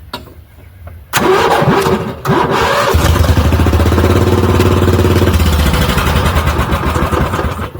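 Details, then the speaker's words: 1980 Yamaha G1 golf cart with Predator 420 swap, about 50 degrees, after replacing fouled spark plug, running without air filter: catches after a couple of short tries, then steady, even single-cylinder run; normal start and running. "golf cart runs. So, yay. Turns out the spark plug was fouled, so just threw a new one in there and it's good to go."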